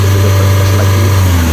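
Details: Hyundai Santa Fe diesel, automatic in P, codes P0098 (intake air temperature sensor 2 circuit high) and U1111: under throttle a steady flat drone that won't climb past about 3000 rpm; ECU communication fault holding it in limp mode.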